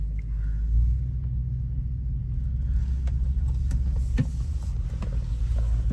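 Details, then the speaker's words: Toyota 100-Series Land Cruiser V8 cruising after a welded repair of a severe exhaust leak: low, even rumble under load with no ticking, chuffing or rattles. The exhaust is sealed, the pipe clears the chassis, and it is not too loud. "Oh, it's so smooth. Very smooth. I'd say this is a job completed. No rattles. The pipe doesn't hit the chassis anywhere. It's the perfect amount of uh rumble in the car. Not too loud."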